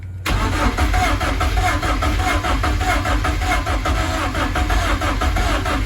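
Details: BMW M44 engine swapped into an E30 rally car, first start, cold, no air filter, MAF fitted: catches right away, then a lumpy, uneven idle with a pulsing beat; running rough, cause unknown, owner hopes warming up will help.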